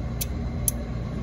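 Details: Pitco fryer at about 158–160 degrees with pilot turning off: three sharp clicks about half a second apart from the high limit switch, which should trip only near 400–450 degrees, falsely tripping and cutting gas; faulty high limit switch.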